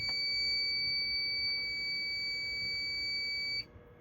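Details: Fire alarm system test, single-action pull station pulled with strobe flashing: a steady piercing high tone sounds for about three and a half seconds, then cuts off cleanly. The alarm responds correctly.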